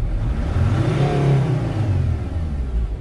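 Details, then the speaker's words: T1N Mercedes Sprinter diesel that previously would not start, now running: it climbs smoothly to 4000+ rpm and eases back with no cut-off, so it is not in limp mode. Normal revving. "it actually goes all the way to 4000 or above rpms usually if you're not bored you're going to be below 3000 and then you know you gotta have a problem but the engine seems alive and well everything is functioning"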